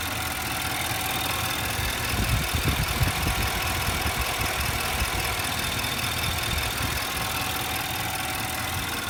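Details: 2012 Infiniti QX56 V8 at idle: a fast, busy metallic rattle and whir; suspected timing chain noise, not confirmed.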